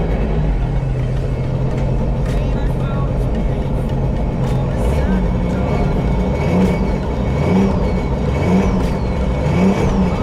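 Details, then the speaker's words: 2016 Sea-Doo RXT 260 with a freshly rebuilt engine and newer-style carbon seal, idling at 1700 rpm: short rev blips to clear the water box rise strongly and settle back cleanly with no misfire. Normal revving. "that's really all you need just to clear your water box you don't need to sit here and rip the P out of it"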